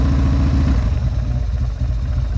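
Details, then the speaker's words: 2000 Buell M2 Cyclone V-twin, carburetted with aftermarket air cleaner, warm from a ride 1.5 hours earlier, idling: deep, lumpy loping beat with loud intake sucking from the air filter, whole bike shaking; idles nicely, healthy. "so here it is it's idling you can hear uh that air filter is really loud down there especially when you're moving you hear it just sucking in air for this bike but so you know idles very nicely"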